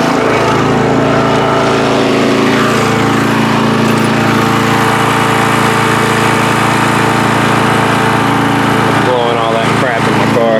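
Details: Free riding mower on a first start test after its gas tank was drained and fuel was added by hand amid flooding: the small single-cylinder engine holds a steady, even note with no misses or surging over ten seconds, running normally.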